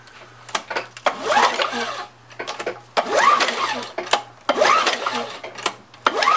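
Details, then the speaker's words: Craftsman 917.377300 mower, Tecumseh Eager 1 6.6HP, after cleaning coil and magnet and resetting coil-flywheel gap: four pull-cord strokes, whirring spins with no firing; still no spark, possible ground wire or kill switch issue suspected. "still not seeing anything there i mean it's possible we have a ground wire issue we have to take a look at that or the switch when you engage the wire there's going to be usually a kill switch there could be an issue there"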